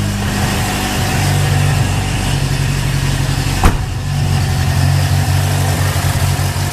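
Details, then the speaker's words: 1980 Honda Accord after Redline K724 conversion kit and Weber 32/36 electric-choke carburetor install, first start after sitting overnight: low, mostly even cold idle with occasional stumble; slight misfire at idle, a little better than yesterday. "Sounds like it misses a little bit. It's a little better than yesterday though."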